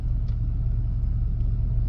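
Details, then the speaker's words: 1995 Chevy K1500 5.7 TBI V8 in park, cold start or after driving: idle surges between about 900 and 500 rpm, lumpy and stumbling as if about to stall; it doesn't happen in drive, reverse or neutral; cause unknown. "Crank It Up the RPM needle moves up and down a little bit engine sounds like it wants to the stumble and cut off"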